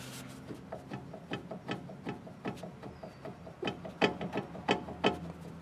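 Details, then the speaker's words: Front sway bar end link on a 2003 Chevrolet Trailblazer, suspension loaded by the truck's weight, rocked by hand: quick, uneven wooden clunks, roughly three a second, from a badly worn, loose link causing clunking over bumps. "so again the suspension's loaded down with the weight of the truck just going to grab the sway bar you should be able to hear this"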